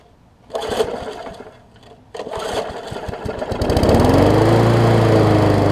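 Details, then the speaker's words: Murray 20-inch 3.75 hp push mower after oil change with Sea Foam, new air filter, primer bulb, pull rope, and freed governor vane: fires after a few pulls, settles into steady even hum at strong constant speed; rpm much improved, normal running. "much better in the rpm department very nice"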